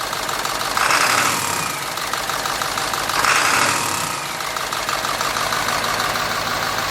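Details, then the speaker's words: 1946 Ford fitted with a turbo diesel, first run after sitting a long time, no radiator, glow plug control not yet working; runs unevenly with irregular stumble and skipping, turbo whistle swelling twice, cause not confirmed. "I heard it run. She's skipping a little bit. I guess that's to be expected. It sat so long."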